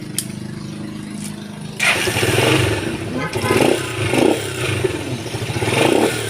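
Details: Rusi motorcycle that stalled when the throttle was squeezed; carburetor was cleaned and a part refitted. Now the small single revs cleanly in repeated blips without stumbling or dying, whether the throttle is eased or snapped: normal revving.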